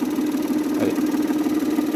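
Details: Roller sander built from a washing machine universal motor (up to 17000 rpm) with a speed regulator keeping torque: smooth steady mid-pitched hum holding speed, no knocks or rubbing; normal running.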